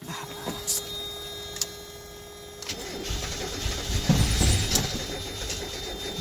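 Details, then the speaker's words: Miata project car, after new radiator, oil and air filter, cranked on a jump starter after a first failed attempt: slow, uneven starter churning with sharp clicks, engine turns over but never catches; cause not confirmed. "so it was trying to start the engine but there was not no success so right now I'm going to start my jumper back and hopefully it will start this time"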